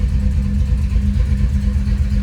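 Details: 1990 Pontiac 6000 SE AWD, sat 20+ years, running and coming up to temp after reassembly without new intake gaskets, slight miss, muffler rubbing: deep idle rumble wavering in strength; rough idle from vacuum leak.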